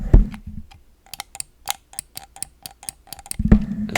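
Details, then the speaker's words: 25-year-old Microsoft Mouse 2.0 button: about a dozen sharp clicks each with a dry creaky edge, almost like multiple clicks per press, instead of a clean snap; worn, creaking button. "like wouldn't when I click on this you hear that Creek noise"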